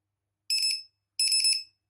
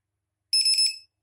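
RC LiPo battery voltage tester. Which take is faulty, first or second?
second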